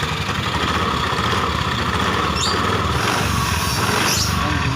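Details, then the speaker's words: Honda Beat scooter running: harsh, gravelly rattle over the engine note with strong vibration and no smooth drive sound, a rough, noisy, worn CVT. "bersama bisa motor kita kedatangan bed yang kendalanya ini speednya kasar banget. Maklak suaranya dan getarannya luar biasa."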